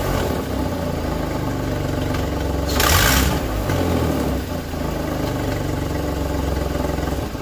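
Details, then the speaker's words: Skoda Fabia 1.2 12V idling, loud raspy tractor-like puffing chuff about four beats a second; leaking catalytic converter integral with exhaust manifold, fixed by replacing it with a cheap aftermarket unit. "Ano mianowicie nieszczelny jest katalizator katalizator występuje z kolektorem wydechowym jako jedna część"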